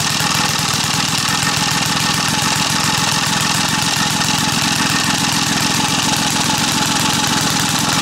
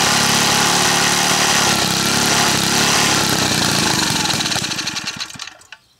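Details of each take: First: Small single-cylinder gas engine staked down outdoors for a test of sugar in the fuel tank: quick, even thumping of about three and a half beats a second that holds steady; the engine is still running normally. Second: Small gas engine restarted after sugar added to its fuel tank and packed sugar cleared from the fitting: runs hard and steady, then sags, sputters and stops within a minute; fuel starvation, fuel line totally blocked with sugar.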